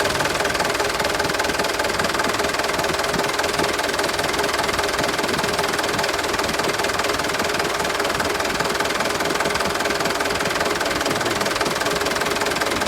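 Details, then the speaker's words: 2013 HD 125 PS used truck diesel engine idling: steady, crisp regular beat, no misfire, knocks or extra rattles; healthy engine; normal idle. "ini yang kita cari-cari ini seperti ini dari suara udah kedengaran Enak suaranya enak Lur ya"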